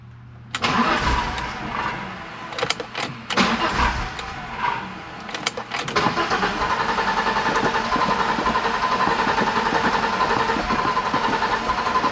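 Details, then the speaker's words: 1987 BMW 325i E30, left sitting after a paint job, on fresh fuel with fuel pressure near 40: uneven fast chugging cranking, about three and a half beats a second, stumbling but not catching. Fuel level low. "It's trying to. It's the fuel level. Empty? We gotta put more."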